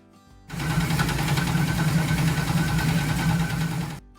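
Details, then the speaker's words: Camaro that hit a curb hard, pushing the steering rack into the oil pan: fast, uneven metallic clatter, roughly four knocks a second, over the idle as the rack contacts the pan; it was also driven in like this. "The owner of this Camaro had hit a curb really hard which had pushed the steering rack into the oil pan causing it to sound like this."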